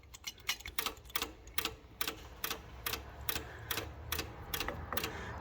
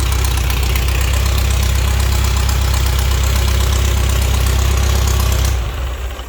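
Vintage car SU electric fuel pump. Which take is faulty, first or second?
first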